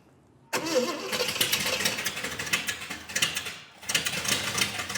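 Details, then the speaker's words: 454 V8 in 1951 Henry J: starter catches and engine fires straight up into a steady run with no misses, healthy start. "it totally works it's awesome we just squeaked it right through you know hit the key the thing fired up"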